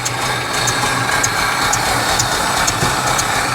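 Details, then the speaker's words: 1964 International service truck, a 304, at an extremely low idle. The beat is slow and uneven, hit-and-miss, with sharp ticks about twice a second, seemingly missing on several cylinders; it could probably use a tune-up, cause unconfirmed. "that's got to be the lowest Idol ever"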